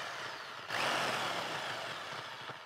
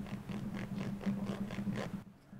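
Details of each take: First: Makita HR2400 rotary hammer from the 1980s–90s, after disassembly and repair of a drill bit stuck in the quick chuck: strong steady motor roar with hammering rattle, brief stop, clean spin-up; drilling, chiseling and rotary chiseling all work normally. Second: Makita HR2400 SDS rotary hammer, old worn internals: bearing hand-turned gives a rough, clicking ratchet; it should be a light press fit but has play and is damaged, with broken centering bushing nearby.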